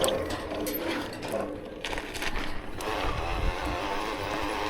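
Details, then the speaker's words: E-mountain bike motor, 85 Nm rated and up to 160 Nm in low gears, turbo mode in smallest gear on a steep climb: uneven grinding mechanical whir over trail noise; drive loud under load, otherwise smooth. "And here you can hear all the noise, a light gear and everyone goes up in turbo with the smallest gear."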